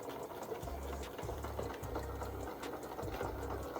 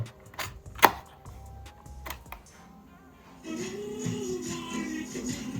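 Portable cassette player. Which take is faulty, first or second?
second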